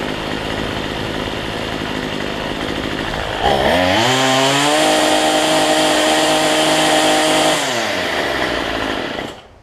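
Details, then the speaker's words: Cheap weedeater (number 3 of 4) after fitting a replacement Chinese carburetor kit: quiet, then the two-stroke fires, climbs to steady high buzzing rev, holds even and drops back; running cleanly after carb swap. "That's good. Only took me about 10 minutes on that one, so 15 minutes."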